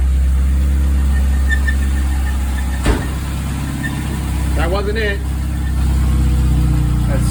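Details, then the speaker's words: Mazda Miata engine idling after oil pan work: light, regular knock and rattle in time with the revs is still there; internal source unconfirmed, owner fears a rebuild is needed. "Nah, it's still there. The knock is still there? Yeah, I hear it. I hear the rattling."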